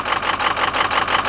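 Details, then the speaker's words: Ford Excursion diesel just after replacing a suspected faulty sensor at the back of the engine: it starts and idles rough with a steady, slightly uneven pulse but no misfire, then dies as before the repair. "i gave it another shot it's hiding rough but it actually started i guess i gave up too quickly yeah you can hear it it's not it doesn't sound like it's misfiring"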